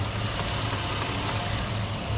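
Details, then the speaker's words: 2001 Chevy Silverado 5.3L at idle with intermittent A/C fault, after fitting new pressure switch with O-rings: compressor and relay on, steady smooth idle drone with no dropouts or cycling; normal A/C operation. "as you can hear the compressor turned on relays on"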